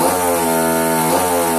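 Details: Hobbyking RCGF 30 twin engine buzzes with a high, wavering note that sags and stumbles about a second in; misfiring, ignition suspected faulty.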